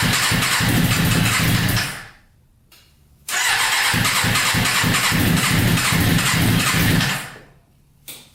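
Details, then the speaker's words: Custom Yamaha Banshee with 600cc sport bike engine swap, not run in a while, no tank fitted, choke on after freeing a leaking carburetor float: runs crisp and even, then fades out twice within seconds of each restart; fuel starvation stall. "Obviously, it would help if we had a consistent gas flow going into it, because it just runs out of gas instantly."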